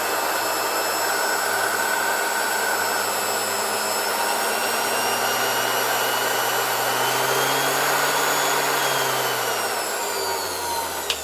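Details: 1970 Zelmer 01 vacuum cleaner with East German VEB Suhl type 1004.2/5 motor, reassembled with original bearings only greased, run through a voltage regulator: high motor whine sagging as voltage drops, then spinning down; bearings quiet, no grinding.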